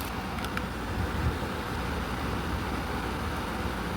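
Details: Hens portable air conditioner after cleaning the dirty condenser, which had been restricting heat rejection; refrigerant now liquefying promptly, a steady even whoosh and hum without surging or rattling; running normally.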